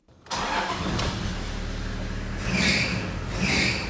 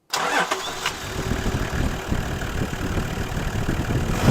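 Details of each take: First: Toyota engine cranks and catches, then a high, warbling squeal rises in loud bursts over the idle: an accessory V-belt that is loose and slipping. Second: Toyota engine after tightening a loose, slipping accessory V-belt: starts quickly and settles into an even idle with no belt squeal.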